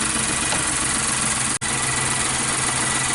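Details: 2016 Nissan Note supercharged HR12 (E12) direct-injection engine, running rough, stalling, power loss, flashing check light, P0302: steady idle with faint uneven stumble and brief dropout; cylinder 2 misfire.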